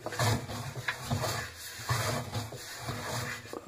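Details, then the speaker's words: LG F1056MD washing machine, drum turned slowly by hand: uneven scraping rub about once a second, like metal on plastic, sometimes a whistle; something rubbing inside the drum, cause not yet found. "такой звук вот так затирается что-то как будто металлопластик как это выглядит при работе сейчас покажу ну вот так это звучит затирания свист не всегда"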